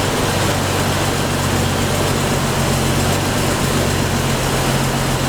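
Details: 1993 Jeep YJ, fuel pressure about 40 psi with no check valve: steady, even idle with low hum, no misses, knocks or stumbles; healthy normal idle.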